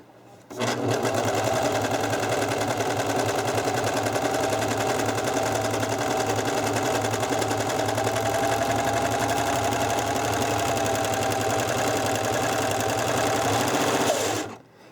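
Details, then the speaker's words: Serger sewing machine after cleaning and oiling, sewing at speed: steady fast whirring with faint rhythmic ticking more noticeable at high speed; noise source unknown, owner hopes it works itself out. "if you hear that noise I'm trying to figure out what that noise is and it might just need to work its way out"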